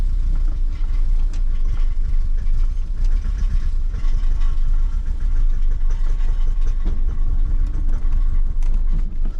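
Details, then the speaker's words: 1989 BMW E30 M3 freshly started from storage, idling: loose, tinny buzzing rattle over the low rumble from the catalytic converter. Catalytic converter rattle. "Oh, it's the cat rattling."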